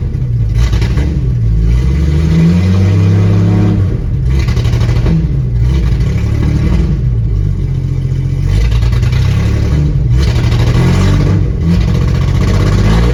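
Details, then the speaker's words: 1996 Jeep Grand Cherokee ZJ idling after cleaning rust from distributor cap contacts and scuffing the rotor button: uneven stumbling idle with periodic dips, improved but still missing; owner suspects worn rotor button and cap. "Well, it definitely seems better. It's not fixed by any means, but the more material I take off that rotary button, the less it's going to be able to contact with those actual contacts."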